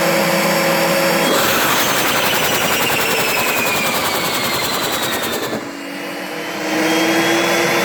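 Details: Turbo barrel on a cage buggy heating wood for pyrolysis gas: loud jet-like roar with a whistle sliding down in pitch, a sudden drop, then rising again; the turbo won't hold boost.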